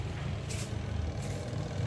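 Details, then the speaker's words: Washing machine after fixing no-spin fault: 8 µF capacitor replaced with 5 µF, brake wire bodge removed and brake restored: smooth low rumble of drum at steady speed, no grinding or knocking, resumes when lid closed; normal spin. "ini sudah berputar. Nah, kalau ditutup dia akan ngerem ya. Kita tutup lagi. Nah, dia jalan lagi, sudah tidak ngerem dia."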